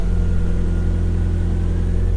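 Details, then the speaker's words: Nissan 240 settling into a steady, even low idle with no knocks or misses while warming up, just before it is used to jump-start the G35; normal idle. "She's idling. I'm gonna let it warm up for a bit and then back it on up to the G."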